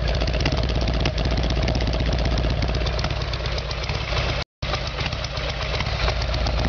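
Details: Harley-Davidson Evolution Sportster, rear cylinder was not firing: uneven, lumpy idle with irregular thumps about two and a half a second, not firing cleanly; carburetor fault causing rough running, before new plugs and timing.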